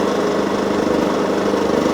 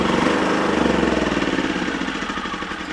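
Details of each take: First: Wolf generator, bought used with carburettor previously cleaned, running after an oil change and mini service, green light on: steady, even drone with no misses, knocks or surging; engine running smoothly and healthy. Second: Wolf generator, serviced with fresh oil, getting low on fuel: pulsing beat of about three to four surges a second, sagging steadily, hunting as it starves for fuel.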